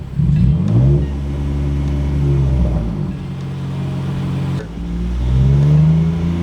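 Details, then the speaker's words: Used BMW checked before purchase, revs held around 2,000 rpm listening for knocking or ticking inside the engine; smooth, clean, even note with no knocking or ticking; normal engine at held revs. "So we're gonna hold the revs at around 2,000 RPMs for a little bit, just to see if we can hear any knocking or ticking inside the engine itself."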